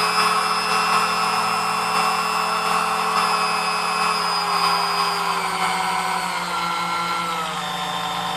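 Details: New-in-box Sunbeam Mixmaster Model 11 after service (cleaned, lubed, gears polished): steady high motor whine with smooth hum slowly easing in pitch, no grinding or catching; runs like brand new.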